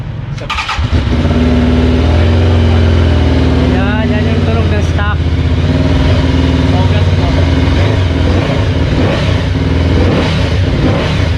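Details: Benda Dark Flag 500 Commander, 500cc V4 with belt drive and stock classic exhaust: engine catches after a short crank, settles into a deep even idle, then revs up and back cleanly; healthy stock exhaust note, normal start and rev.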